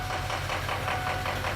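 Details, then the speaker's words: Ford F250 6.0 diesel idling: rough, repeating knock-like pulse four or five times a second; balance test shows cylinders 5 and 7 dead, 1 and 2 overcompensating; faulty injectors suspected. "so this is not looking good right now we got cylinder 1 and two right now are firing High cuz they're overcompensating the ECM is overcompensating for a dead cylinder in seven and a dead cylinder in five"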